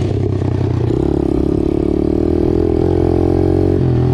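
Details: Apollo DBX-18 dirt bike after transmission repair (replacement main and countershaft gears, cases split, new case, cylinder and head gaskets): single cylinder pulls cleanly, revs step down evenly through upshifts, previous rattling gone; normal running and gear shifting.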